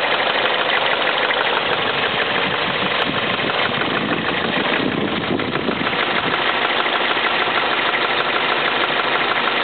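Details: Toyota Celica, warm idle with plenty of oil: fast, light ticking/knocking over a busy, hissy engine note, absent when cold. Dealer suggested fuel injectors; owner suspects rod knock; undiagnosed.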